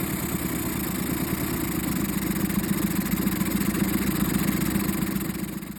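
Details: 2013 Suzuki DF20A fuel-injected four-stroke outboard, about 1000 hours, after replacing an engine block damaged by running on low oil: a smooth, even steady idle with a slight swell in speed and no knocking or rattles. Running healthy.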